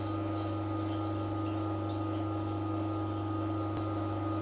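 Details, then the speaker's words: Carimali Kicco 2-group espresso machine at first startup from the box, on mains water; steady low buzzing hum at constant pitch with no knocks as the water pump kicks in to fill the boiler, normal pump operation. "Then turn on your 2 group Kicco. You hear the water pump kick in."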